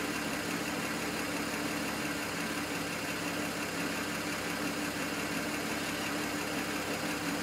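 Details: N54 engine misfiring at idle, logged with an IPNA video log: the idle runs uneven and lumpy with an irregular stumble.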